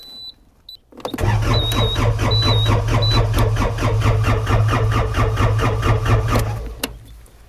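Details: Cat skid steer after a Perkins 3034 to Yanmar diesel engine swap: steady starter cranking at about two compression strokes a second for six seconds but no firing. Smoke shows fuel is reaching it; the glow plug button reads 0 volts, so a glow plug circuit fault is suspected.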